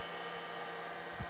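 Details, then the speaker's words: Data Power Inc. power supply in a Plexus P/20 dual-processor UNIX system at first power-up, switch set to its other position: steady, even, rhythmless hiss from the power supply in that mode; cause unknown. "Sounds like the power supply makes a hissing sound when it's in that mode. Don't know what the difference is."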